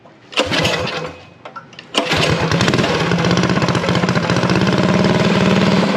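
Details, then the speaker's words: Unknown-history junk single-cylinder go-kart engine being revived, started on choke after a couple of pulls: it catches and settles into a steady, even fast putter with no misses. Held around 2200 rpm for break-in, it sounds healthy. "good enough well don't sound too bad for a junk motor that i know nothing about"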